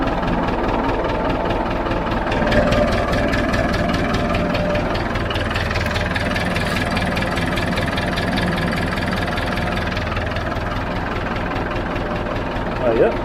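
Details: David Brown 990 diesel tractor, running after about five liters of oil added, started to try the hydraulics: steady, even idle clatter with a low rumble and no misses or knocks; healthy idle.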